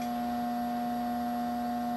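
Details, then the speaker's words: HVAC permanent split capacitor (PSC) fan motor powered with its run capacitor disconnected: steady electrical hum, no spin-up; motor needs the capacitor to start. "so if I try to start it plug the power into it you can hear that it's humming it's not doing anything at all"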